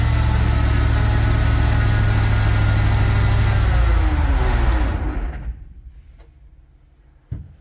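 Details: 1969 Ford F-100 with naturally aspirated 460 V8, first start, GoPro underneath: engine running hard with steady whining grind over the rumble that winds down at shutoff; drivetrain whine, source unknown, cam break-in halted.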